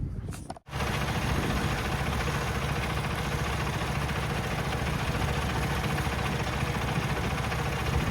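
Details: Peterbilt 579 with ISX diesel after a fuel filter change and lift-pump priming: it catches after a brief crank and settles straight into a steady, even idle with a smooth low rumble, sounding normal.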